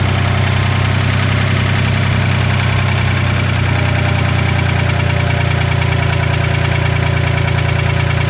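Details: Old Ford forklift engine with updraft carburetor after patching its leaks with acid, pop rivets and epoxy: steady, even low rumble with smooth regular beat, no misses; idles cleanly and healthy.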